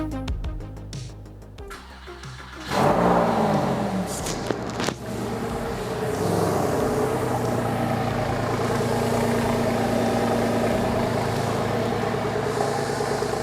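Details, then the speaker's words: 2002 Porsche 911 (996) Carrera 2 after water pump replacement, coolant filled and bleeding, cold weather: short crank, catches cleanly to smooth even idle, no knocks or misfires; no leaks, runs good, fans not yet cycling. "All right, that's gonna do it for today. No leaks, runs good."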